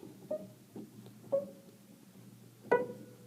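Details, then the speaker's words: Piano after tightening loose whippen flange screws, likely loosened by uncontrolled humidity in a school: four notes ring out cleanly with no clicking or knocks as keys go down, confirming the screws caused the clicking. "of that clicking that we had before so it definitely was the whippen and flange screws that were the culprit causing that clicking noise."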